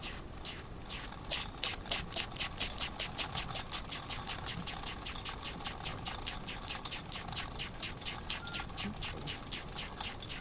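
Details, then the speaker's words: New Wilesco steam engine, first run, slow tickover; sharp steam chuffs about four a second with constant hiss between: steam leaking from steam chest through hole left by missing screw under cylinder, double-acting piston driving only one direction. "That piston's double acting. So it pushes forward then pushes back again. Stop pushing back cuz every time the valve just blows steam out. It's running in half a half an engine at the moment."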